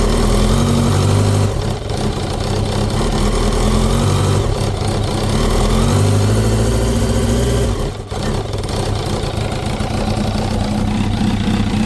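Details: 2005 Kawasaki ZX10R Gen1, 41,000 km, cam chain, tensioner and valve adjustment recently done without change: rough knocking tied to engine speed, about three or four a second at idle and on blips; clutch basket springs suspected, generator thought unlikely.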